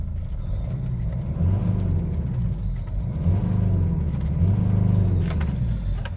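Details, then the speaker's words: Mercedes E250 diesel at idle after exhaust gas temperature sensor replacement and DPF clean (previously no power from choked DPF, sluggish start): steady low rumble, even beat, no knocks, sounds crisper; normal healthy idle, no warning lights other than the run-flat tyre indicator. "sounds good to me. A lot crisper anyway."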